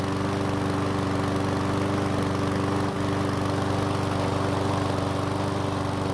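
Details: One-season-old self-propelled Powersmart mower with the bigger engine, after fresh fuel and a no-start fix: starts first pull, briefly smokes, likely from oil past the rings, then runs steady and even at about three beats a second; healthy.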